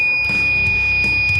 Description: Once you know, you know! There is no mistaking the high-pitched wail from an auto-sensor faucet that's in alarm!